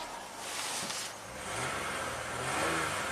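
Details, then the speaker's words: 2001 Toyota Avalon 1MZ-FE V6, 87k miles, previously misfiring with high idle and codes, after diagnosis with fuel trims normal: quiet smooth idle climbing cleanly when revved with no stumble or misfires; normal rev. "Revs up really nicely. Scan it for codes. Absolutely no misfires at all. I mean, butter smooth like a 1MZ should."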